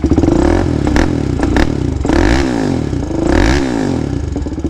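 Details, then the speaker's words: 2007 Polaris Predator 500 four-stroke quad, first run after sitting 3 years and engine rebuild: single thumps through quick throttle snaps, revs rising and falling unevenly, stumbling on blips; owner thinks it runs a little rich. "actually sounds pretty good i can tell it's a little rich though it doesn't like the little snaps so it gets a little bit rich"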